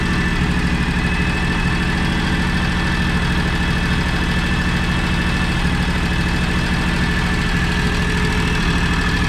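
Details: John Deere X729 mower/tractor at operating temperature after complete service: steady even low idle, smooth regular beat, no knocks or misses, earlier idle miss gone. Normal idle.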